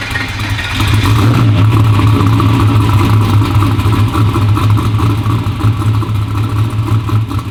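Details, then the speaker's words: V8 "Black Sheep" after repair, fresh oil (half used, half new) and new battery: strong even low rumble held steady after start, no knocks or ticks; healthy, snappy; normal running. "It sounds good. It sounds healthy, snappy."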